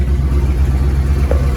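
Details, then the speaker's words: Ford F350 after a transmission swap and new U-joint, warming up at idle with fluid on the dipstick: deep, steady, even rumble with no clunks, no leaks at the bell housing; normal idle. "They said let it warm up. Make sure we had some fluids touching the dipstick, which we did. No funky noises. Nothing crazy funky."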